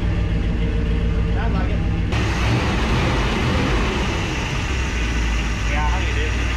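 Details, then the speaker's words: 1961 Chevrolet Parkwood wagon after a new exhaust, which earlier ran badly with popping: even, deep low rumble at idle with no pops or misses. Normal idle, popping gone. "I didn't hear it popping that time guys"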